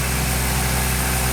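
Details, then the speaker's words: Daihatsu Mira with a 4WD conversion, turbo engine on the dyno at full throttle around 2,500 rpm, about 9 psi boost and 13 kW: steady loaded drone with a faint airy hiss as the turbo spools; normal. "You can hear it spool its little head off. Yep. Full throttle,"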